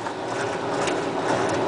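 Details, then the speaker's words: Maytag washer that had stopped draining because a water-soaked belt slipped, tested after belt replacement with no leaks: steady churning whir with water swirling, even, no squeal or thumping; the pump and belt are running normally. "you can see a lot of swirling in here that means the pump is working good now and as far as that there's no leaks anymore so hope hopefully this thing will drain and I think we'll have no problems with it"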